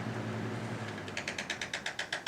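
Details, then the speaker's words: 1998 Lasko Model 3700 "Ultra Force" 20" box fan (2.2 A) switched off: motor hum dies away and a quick even ticking about eight per second sets in as it coasts down, a weird noise of unclear cause. "and as you can hear it kind of makes a weird noise"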